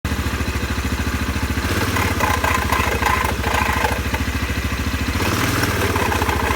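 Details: CFMoto 500 2A quad after riding through water: idle with a steady thump around three per second plus irregular rattling clatter; abnormal CVT variator noise, cause suspected, not confirmed.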